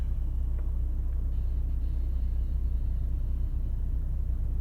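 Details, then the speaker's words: 2004 Chevy Trailblazer after fan clutch replacement for a P0128 code, AC switched on and fan speed rises to match desired, some fluctuation; steady low engine rumble with even fan roar, no knocks: normal fan clutch engagement and tracking. "Yep, it is. Yep, it rose right to match it. Yeah, so it is tracking, and we do have control over it now."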